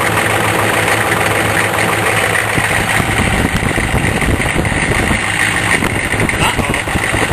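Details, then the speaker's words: Diesel idling after a snowy cold start, heard from the front under the hood; a busy, loose rattle over the steady knock, which the owner attributes to a worn vacuum pump needing replacement soon. "uhoh yeah hear it my vacuum pump getting rattly think that means I need a new vacuum pump"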